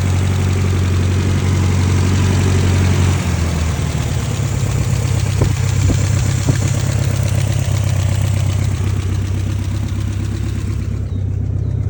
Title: E30 M3 S14 Engine Knocking